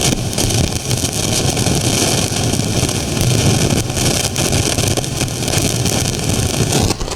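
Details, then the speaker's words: Marantz 2252B receiver: one channel gives a loud, steady crackling hiss, DC output dancing, and it drops in and out of protection; usually caused by the front-end differential (long-tailed pair) input transistors. "you can see the same thing that one channel has got all that noise on it in fact if we listen to it it should exhibit itself as a pretty noisy Crackle"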